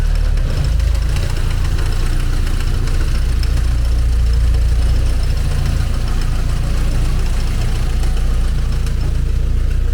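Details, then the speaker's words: 1990 Mercedes-Benz 190E Evo 1 with Evo 2 kit (Cosworth engine), cold start at 32°F; it has stopped misfiring on all cylinders, but a light, fast, uneven tapping is heard from the front at idle. Cause not yet identified. "There's a tapping noise in the front here yet. Some noise in the front here like"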